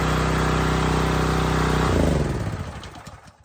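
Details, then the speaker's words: New Husqvarna pressure washer small engine after choke opened fully: steady, even engine note with regular firing for two seconds, then switched off and winds down; running smoothly. "you hear the engine idling out when you're done just turn the gas off"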